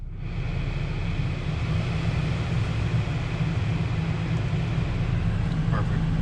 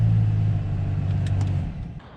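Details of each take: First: BMW F10 535i heater/AC blower fan after replacing the blower motor case cover, which had caused noise and vibration at higher fan speeds: steady smooth rush of air over a low even hum, with no rattling, ticking or scraping. Normal operation. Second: BMW F10 535i cabin blower at high fan speed roaring like a hurricane from the dash with a heavy low hum and vibration, an unbalanced squirrel cage from leaves entering past the under-hood intake cover; fix is replacing the cover.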